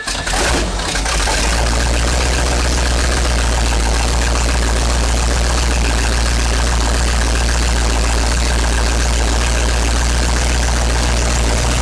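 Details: 1970s Sleek Craft jet boat's Oldsmobile big-block V8 with fresh oil, warming up at idle while initial timing is set with a timing light: brief start-up flutter, then a deep, even, steady rumble with no knocks or misses; healthy.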